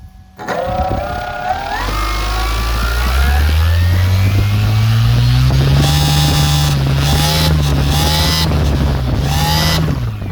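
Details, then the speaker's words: Champion Xtreme Decathlon 122in V2 electric RC plane run up to full throttle with the cowl off: the motor whine climbs and a harsh metallic grinding rasp appears above 50% throttle. It persists after changing props, removing the spinner and adjusting ESC timing; source unknown. "So, it's it's doing that grinding sound. I don't know. It sounds like something metal to metal cuz it's so loud with the cow off that, you know, it's crazy."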